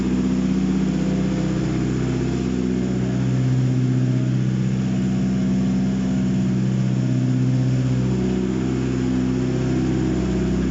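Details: Contract Mitsubishi 4B11 engine, number 49290, first start on test stand for compression check: smooth, even note at constant speed with no knocks, ticks or misses; sounds healthy.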